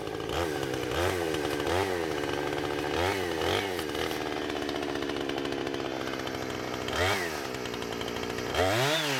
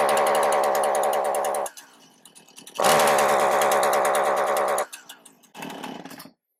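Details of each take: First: Husqvarna 455 Rancher two-stroke chainsaw with about 4 hours total runtime, previously running rough after warm-up, now after ignition coil replacement: crisp rise to full howl in repeated cuts, pulling cleanly without stumbling or dropping out. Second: Husqvarna 455 Rancher chainsaw, 4 hours of total runtime, after about 5 minutes warming up: it revs steadily, then abruptly dies, catches and cuts out twice more; a spark tester shows it drops spark once the ignition coil gets hot. The plug was already changed.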